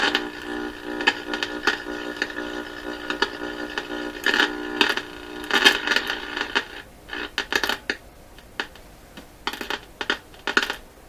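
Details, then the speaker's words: Conar model 230 signal tracer powered up during checkout: irregular sharp crackles and pops in bursts over a faint hum, like sparking inside the unit; owner suspects dust in the tuning capacitor. "What is that sound? Boy, you know what? I can hear a sound. I swear it's sparking in the back of this."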